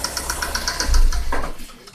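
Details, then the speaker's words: Daewoo Nexia GM 8-valve, lifters already replaced, no piston or play faults found: light, even ticking about eight per second over a low idle rumble, same cold and hot; worn rocker arm knock. "Слышим, есть вот такой стук. Этот стук и на холодную, и на горячую одинаковый."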